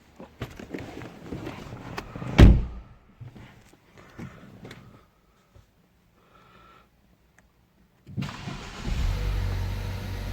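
Quiet clicks and handling, then the engine catches cleanly near the end and settles into a steady idle; it starts normally now.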